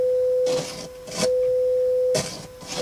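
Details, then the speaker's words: Audio amplifier bench test with roughly 1 kHz sine test tone; clean tone drops into hissy crackle bursts as the balance control moves; scratchy balance potentiometer. "a pretty scratchy balance pot there."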